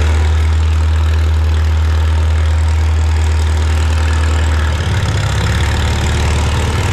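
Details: Farmall Super M tractor being prepared for the Mackinac Bridge crossing, just started with the choke and throttle levers, clutch depressed. An old engine idling with a deep, steady, even thump and no knocks or misses. It runs healthy.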